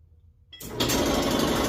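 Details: Kenmore Smart dryer starting up with a loud, rough, rapid rattling scrape; the worn idler pulley wheel is blamed after the other parts were checked.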